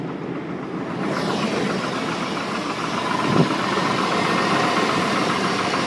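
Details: Chevy Silverado 1500 on a cold start at idle with the hood open, about 20 psi oil pressure and a lot of metal found in the oil at the last change: a faint, regular knock of about four a second. Internal engine knock, cause undetermined.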